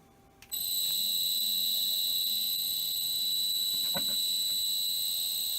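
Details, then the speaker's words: Replacement motor freshly wired and run on an inverter around 16 Hz, motor on the floor: steady high-pitched inverter whine over faint low hum, smooth with no knocks or rubbing, slightly noisier than the previous ABB motor; normal running. "A little bit more noise off it than the ABB"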